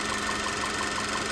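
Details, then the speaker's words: VW Tiguan after port cleaning and new injectors, once misfiring on cylinder 1 (EPC light, running on 3 cylinders): a steady idle with quick, even ticking and all cylinders firing after swapping in plugs and injectors from a spare Tiguan; owner suspects a bad coil or plug. "I swapped out all the spark plugs and injectors from her car into this one, and now we're golden."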